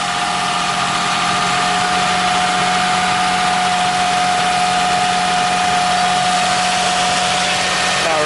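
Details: 2001 Toyota Sienna idling after the bad starter was replaced: smooth, even idle with a steady hum, no knocks, misses or grinding; normal idle.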